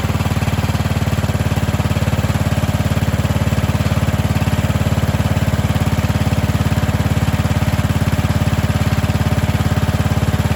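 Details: Cub Cadet 2146 lawn tractor, 14 hp single-cylinder Linamar engine, running after sitting 3 years, warmed up hot in garage before oil change: steady, even idle with no misses or surging.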